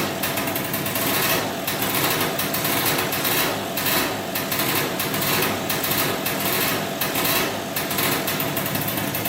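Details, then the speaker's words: 2003 Polaris Sportsman 90cc two-stroke ATV, first start after new piston, cylinder and oil pump, on about 40:1 premix for break-in, smoking a lot. High-pitched buzzing idle, steady and even, no knocking or misfire; normal two-stroke idle. "let's see if she starts up here she runs that's good we have to make sure now the pump is working"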